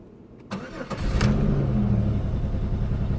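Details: 2001 Pontiac Grand Am with cylinder 3 misfire code, coolant smell and white exhaust smoke, owner suspects head gasket: starter whirs, engine catches and runs lumpy and shaking with a stumbling beat; rough running and misfire on start.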